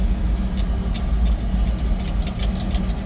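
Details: 1950 Ford F1 pickup, 8BA flathead V8, electric fuel pump, three-speed manual in neutral, push-button start: cold start, then deep low even idle with a few light clicks; normal cold idle.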